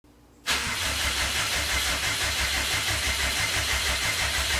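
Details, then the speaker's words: Fully built Subaru EJ25 flat-four reinstalled after pulling for suspected bent valve and metal in oil, first start: quick catch then steady, even idle with smooth pulsing beat, no knocks or ticks; sounds healthy. "Yes, dude. Oh my god, it sounds so good."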